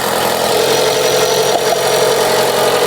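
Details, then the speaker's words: Chrysler 200 after coolant leak repair and refill, idling during leak check: steady, even idle with smooth hiss, no knocks or misses; engine healthy, no leak around engine. "All right, as you can hear, the engine is running."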